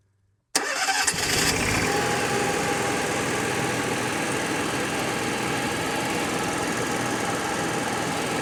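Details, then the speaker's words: Onan QG 5500 EVAP generator in a 2019 Dutchman Voltage 4205 toy hauler, altitude knob reset, air filter back on: cranks, catches within a second, fuel heard entering carburetor, steady even hum; normal start and run. "sounds better already it's making a immediately made a picked up fuel sound well I can hear fuel going in the carburetor too"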